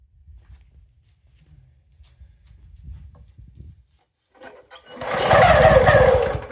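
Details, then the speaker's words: Toro SG-6 stump grinder, Honda GX200, with supposedly new carburettor, full choke: coughs weakly, catches briefly with an uneven hunting idle that won't settle, acting fuel-starved though fuel is present; cause ultimately found to be oil level. "Really? So it's acting like it wants gas. It's a full choke. Still can't keep it running."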